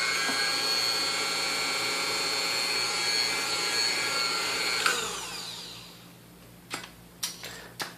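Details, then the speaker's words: Vintage Sunbeam Mixmaster Junior hand mixer with original cord, after cleaning and lubrication, run at high speed: steady high-pitched even whir then spinning down; normal run. "you see it runs good now everything's has been lubricated and cleaned out so ah this one should be good to go for quite a while now"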